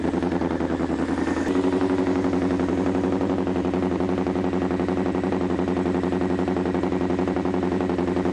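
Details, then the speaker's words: Honda CBR1000F four-cylinder, previously running on only three cylinders, after the fault was sorted: fast, even, steady beat with no gaps or stumbles, all four cylinders firing cleanly, though starting to run out of fuel. "oh starting to run out of fuel there wow that sounds perfect"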